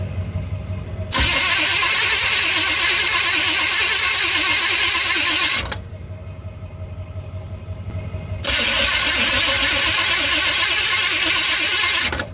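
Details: 1985 Chevy C20 pickup, abandoned in storage 20 years, after the starter was lubricated and spark confirmed: two long bursts of steady, fast cranking with no firing. It cranks but won't start; starting fluid is the next step. Cause not confirmed.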